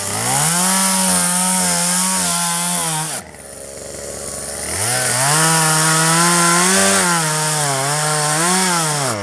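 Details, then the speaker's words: 1997 Poulan 2150 chainsaw, 23 years old, owner guesses 2.1 displacement; warm, just run; dull chain cutting box elder tops. Strong high two-stroke scream holding under load, briefly dropping to idle and picking up cleanly; normal chainsaw cutting. "well that's pretty good actually i could look you can definitely tell it's lighter than the other one i think if i uh sharpen the chain a little better i would be pretty happy with how it works"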